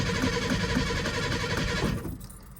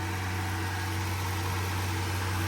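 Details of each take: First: Old Ranger at 70°F after sitting since Thanksgiving through a Massachusetts winter, battery not trickle-charged: long uneven starter churn, lull, then catches and settles to rough idle; slow start, smells of gas, cause not confirmed. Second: Ford Ranger started after sitting untouched since about Thanksgiving through a rough winter, 70°F in Massachusetts; it smells of gas after a full pedal press. Smooth, steady low idle hum with no knocks, ticks or squeals; normal idle.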